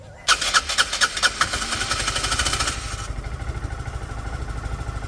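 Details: Restored Peugeot Satelis scooter at its first start: the engine catches after a few cranking puffs and settles into an even, slightly lumpy cold idle on the automatic choke. It doesn't want to rev yet but sounds healthy.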